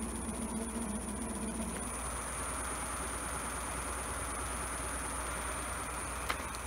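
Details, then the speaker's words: Homemade e-bike using a hoverboard hub motor at full throttle, drawing about three amps: a steady, even rush of motor and wheel noise with no grinding or knocking; hub motor normal. "holding out a higher RPM apparently draws us amps but when you're on Full Throttle it draws a lot of current it sounds a lot of amps"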